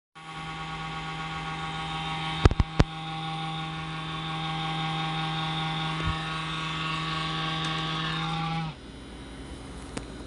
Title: The CoolCold Fan Has Vibration Loud Noise